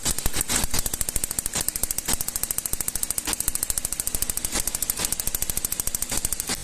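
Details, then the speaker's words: Gasoline Toyota engine with pinging (cascabeleo) and strong engine tapping: sharp metallic ticking about three per second over the engine. Ignition tester shows dropouts and poor combustion, indicating current leakage at plug cables. Coil output towers found damaged. "Y bueno, como se puede observar, hay caídas, tiempo de mal quemado y bueno, eso nos indica que hay una fuga de corriente."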